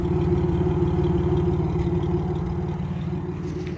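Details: Chevrolet Camaro RS 3.8 at idle: uneven, stumbling pulse about three beats a second, a lumpy lope rather than an even hum; engine misfire at idle.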